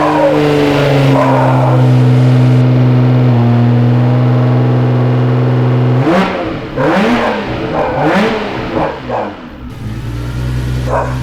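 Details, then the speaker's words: 1991 Nissan R32 Skyline GTR running for the first time in about 10 years, started with a jump pack after a suspected fuel leak. It holds a steady idle, then revs up and drops back cleanly with no knocks or misses. "10 years 10 years in two days of Eric and Andrew and she lives"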